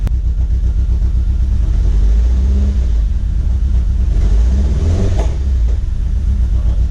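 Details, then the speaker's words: Chevrolet HHR turbo build (Supr_Sl0 2.0) after engine retiming, new tune and vacuum line setup: strong steady engine note climbing smoothly with throttle blips, no misfire or knock; started and ran with no codes, normal running. "We started up the car, we got no codes. We let it run for a little bit, still no codes."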